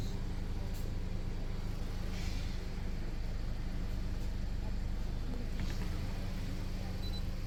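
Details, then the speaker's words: Toyota Corolla Altis 1.6, 2013, 182,000 km, after throttle body reset via battery disconnect: warm idle steady at 600–750 rpm, quiet low hum, no knock or hunting; normal idle. "अब देखिए इसकी RPM A टमपरेचर are buckle stable है 6 से 750 तक इसके आ होते हैं"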